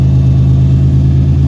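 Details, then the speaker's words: 1991 Buick brought off idle, which it previously would not do, after the backwards fuel filter was reversed; gauge dead, exhaust hanging low without a hanger. Strong, even, drag-car-like note above idle, pulling off idle cleanly without bogging. "Sounds like a drag car, don't it?"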